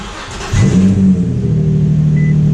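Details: Infiniti G35 after fitting stainless steel down pipes and a new Y-pipe: cranks, catches cleanly and settles into a steady, deep, even idle with no misses or rattles; sounds healthy.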